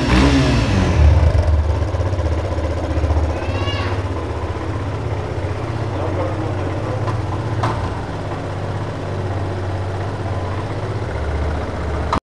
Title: Fazer Com Barulho Estranho no Motor